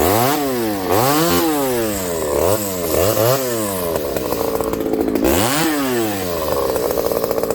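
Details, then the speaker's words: Ported Homelite 922 chainsaw after clutch and fuel line fix and cooler heat-range plug, cutting very hard wood with punky spots: revs sag into each cut and climb back, pulling strongly without stumbling; runs clean and healthy. "This stuff's really hard, friends. Like, really hard. You guys can hear it. It's hard in the middle, but again, there are punky spots."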